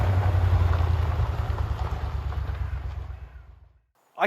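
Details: 1970s Aston Martin V8 barn find after a carb rebuild and fuel-system rebuild: deep, steady V8 burble with an even firing rhythm and no misses or knocks, idling smoothly and healthy.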